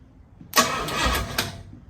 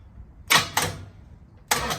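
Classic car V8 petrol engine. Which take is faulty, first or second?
second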